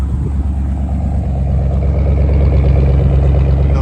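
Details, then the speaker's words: 1964 Ford Ranchero V8 (292, apparently up from a 260), four-speed, warm after a 2-hour drive, heard at the rear dual exhaust: a deep, steady, even idle rumble with no misses, ticks, knocks or smoke. Normal idle. "No smoke, no crazy noises. Nice little rumble."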